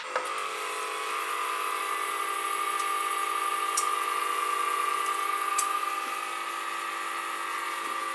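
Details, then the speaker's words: DIAFIELD automatic drip irrigation kit pump on a manual test run for watering plants; small pump whirs evenly at a steady high pitch for about eight seconds with no stumbles; normal pump run. "So there goes the pump, and you can see the water going through."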